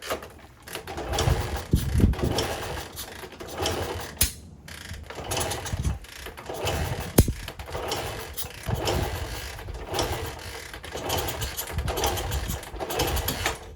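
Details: 1964 Honda CT200 Trail 90 that sat 50+ years in the desert: repeated kicks turn the engine over briefly but it never fires, despite compression, visible spark, fuel and starter fluid; cranks but will not start.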